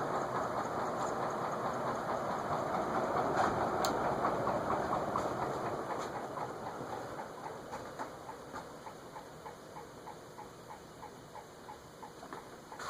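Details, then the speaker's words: Vintage TAT (Wing Tat) Mistral ceiling fan with circline fluorescent lamps, bench-tested with glass fitted: steady light knock about twice a second over a soft whir, slowing as the fan winds down; source unknown, not the glass. "wonder what's knocking it wasn't making that sound when I tested it without the glass on it it's not the glass I'll have to figure that out"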